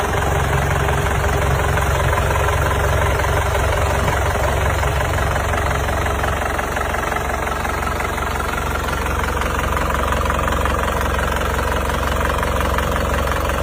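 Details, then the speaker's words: Isuzu Panther Grand Touring Euro 2 diesel with high oil consumption, before overhaul: loud rough clatter, smoke puffing from the pulled dipstick tube even cold and thicker when hot; heavy blow-by from compression leakage. "Ya kalau dingin keluar asap berarti sudah dipastikan ini bukanlah uap oli tapi kebocoran kompresi yang masuk ke starter. Kalau kondisi panas mesin ini asapnya menjadi semakin tebal. Kalau setik oli dijabut itu asapnya menyembur teman-teman, seperti ini."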